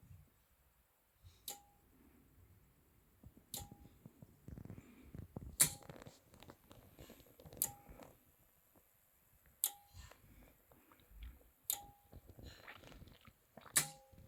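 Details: Anker Solix C1000 power station in UPS mode, firmware v1.5.4, fully charged with routers and a charging cable plugged in (also occurs at other charge levels): evenly spaced sharp click about every two seconds; owner suspects the AC charging relay repeatedly starts and stops charging.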